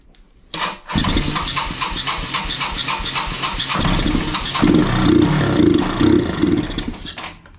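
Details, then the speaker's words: Kawasaki Bayou 220 ATV, sat eight years, run on starting fluid without fuel tank: catches on first crank, runs ragged and uneven several seconds, then sags and dies. Fuel starvation, running only on starting fluid. "all right pretty sure it needs some gas it does you guys there's no gas tank"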